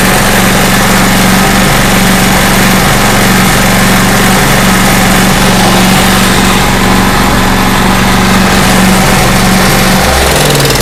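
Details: Small Craftsman portable generator, long sitting, previously over-revving, after readjusting governor that was slightly out: steady even engine drone at one speed, no surging or hunting; normal running.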